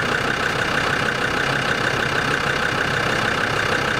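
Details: Land Rover Discovery 2 TD5 diesel at steady idle right after an engine oil change, with fresh oil and oil still slightly low; a smooth, even low clatter with no knocks or misses. It sounds quieter and healthy.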